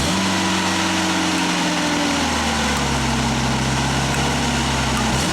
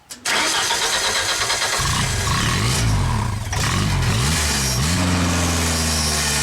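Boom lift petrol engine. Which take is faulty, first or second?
second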